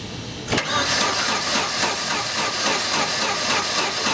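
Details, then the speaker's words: GM 2.2L engine, crank-no-start after dying on the road, starting fluid in the intake, throttle held open: spins over quick and even with an unusual cranking rhythm and no attempt to fire; broken timing chain. "I don't like the way this thing sounds it sounds funny the way it's cranking"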